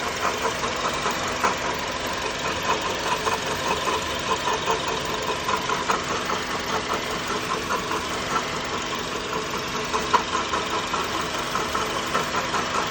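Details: 2004 Honda Element EX manual, about 162,000 miles, at idle: a rough, uneven ticking chatter two or three times a second. An idler pulley replacement made no change, and the 3-month-old alternator tests fine though it almost sounds like the alternator. The source is unidentified.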